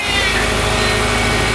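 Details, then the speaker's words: Subaru engine running with a harsh, steady high-pitched squeal from a seizing AC compressor locking up, which has burnt the belt. "subaru came in noisy and loud ac compressor locking up you can tell because it burnt the belt"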